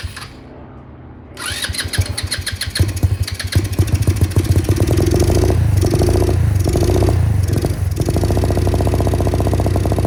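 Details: MotoBravo Roma150 scooter-engined motorcycle, free with no history, being reassembled with what the owner thinks is an automatic choke: brief crank, then catches and settles into a steady single-cylinder putter with no misses; starts and idles normally.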